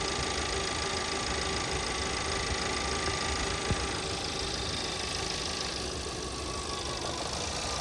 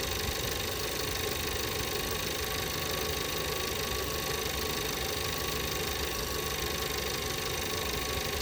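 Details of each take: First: 2017 VW Passat 1.8, random multiple misfire cylinders 1–4 after a few minutes running, new NGK plugs: warm idle with uneven stumbling beat and shake; fixed by replacing the faulty camshaft adjuster (timing) solenoid. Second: 2017 VW Passat 1.8 after replacing the camshaft adjustment (variable timing) solenoid for random misfires in all cylinders appearing after a few minutes: steady even idle, smooth hum, no stumble or misfire, no check engine light.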